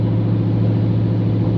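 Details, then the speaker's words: 1970 Chevy truck V8 after restoration work: loud, deep, steady idle with an even exhaust beat and no knocks or misses; not overheating, with good oil pressure and voltage; running well. "Well, so far it seems like it's running pretty dang good. It's loud, and"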